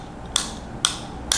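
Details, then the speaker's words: New 3-way slide dimmer switch replacing a failed identical one, breaker off: three crisp, sharp clicks about half a second apart as the slider is worked; clean, positive action of a good switch versus the bad one. "The difference is a good switch versus a bad switch."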